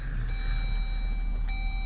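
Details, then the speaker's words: 2018 Jeep Wrangler JL Sahara 3.6L V6 after fixing a cranking no-start; fires right up into low, even rumble and steady idle with chime tones, no misfire or stumble: normal idle. "As you can see, we got no issues. All right, fuel tank about, half to 3/4 full. See, we're idling good."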